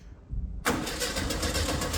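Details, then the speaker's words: 1971 VW Beetle restoration first start attempt, carburetor fuel line diverted into a bottle: starter spins the engine evenly but it never catches; no fuel delivered, fuel pump not sending fuel. "turn it over and there's no fuel in the bottle so you've seen the Fiasco and I would say given an adequate fuel supply it will actually start but it does need a bit of tuning obviously"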